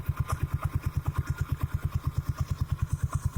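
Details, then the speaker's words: 17-year-old Suzuki Spin125 scooter engine fitted with an RX King carburetor, idling at the workshop during carb setting: even, deep pulses about three per second, steady with no misses or rattles. Owner says it sounds great, so a normal idle. "ini mesin 17 tahun ya benerin suaranya dan ini menurut gua mantap banget"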